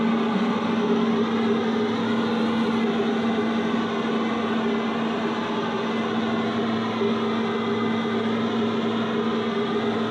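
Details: Redmax EBZ5150 blower after its carburetor, blocked by bad ethanol gas, was replaced; holds a steady high buzz with the fan rushing evenly and no surging or sputter; normal running.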